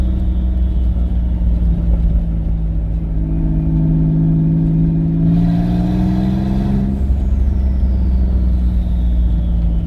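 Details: Twin-turbo V6 Mustang with new DW 340lph fuel pump, driving around the block: steady, even note through a gentle rev rise, no stumble or stall on lift-off; running healthy.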